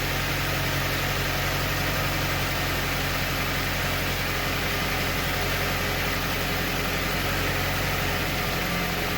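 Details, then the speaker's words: Car at steady idle after cutting away a loose hanging piece that caused a metallic rattle underneath: quiet even hum, rattle gone. "so I don't hear the noise it's pretty quiet right so I think we're good"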